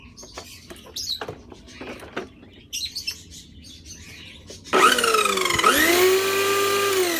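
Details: Thai electric grass trimmer that howled loudly in use, after repairing a cracked bearing housing; motor spins up to a smooth, steady hum with an even pitch and no howl from the gear head.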